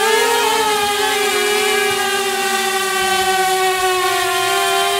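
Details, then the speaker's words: DJI Mavic Air with Master Airscrew propellers, hand-held while commanded to take off at full thrust: loud steady whine slightly lower-pitched than stock, no rattle or wobble; motors and props healthy. "okay a lower wine I think I think it has a little lower pitch of wine it's still loud it's it's loud it's very windy but it's loud"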